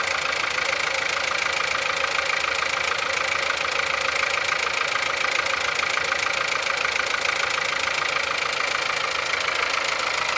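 Cold idle with a fast, sharp, metallic ticking-knock riding over the engine at a steady rate; source of the knock not pinned down. Cause suspected, not confirmed.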